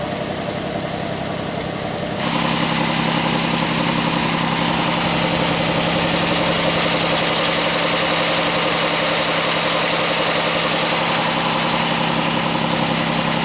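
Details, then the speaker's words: Pontiac Aztek at cold start idle, service engine light on, idling high: steady idle with a fast, even puffing tick and hiss, suspected exhaust leak probably at the exhaust manifold; exhaust ticking at idle. "I think you can kind of hear where it sounds like there is an exhaust leak down there probably in the exhaust manifold"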